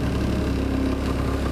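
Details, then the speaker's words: 2004 Yamaha Zuma scooter with about 4,190 miles, started on the electric starter with the brake held: fires right up into a quiet, even idle with a steady low hum and no knocks or rattles; running healthy. "pull the brake down hit the starter which of course apparently okay on I said I put it on that night yeah I do things like that anyway fires right up as you can hear"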